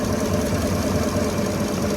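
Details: 2016 GMC Sierra V8 idling rough with a low uneven pulse from a misfire on cylinder 7, which is not firing.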